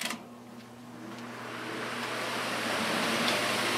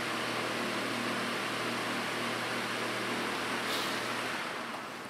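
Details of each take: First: Dayton fan on high after increasing blade pitch, motor rated 1.3 A drawing slightly more: rising strained whoosh over dull motor hum; blade pitch set too steep, overloading the motor, pitch may need decreasing. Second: Dayton fan after increasing blade pitch to load the motor, running on low speed: soft, even low hum with a gentle airy rush and no rattles or ticking; smooth and quiet, though pitch went slightly too far.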